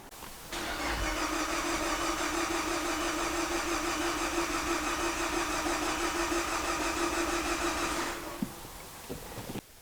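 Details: Viewer's car with coolant in oil, diagnosed elsewhere as blown head gasket, during compression test: steady, even cranking about three beats a second with no uneven or fast spots; no compression loss in any cylinder, though false negatives possible.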